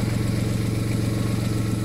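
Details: VW Polo whose alternator had stopped charging, repaired for free with a new regulator; now charging with no more dropouts, new flex pipe fitted. Even, steady low idle with a regular pulse and no stumbles or misfires; clean, healthy idle after the repair.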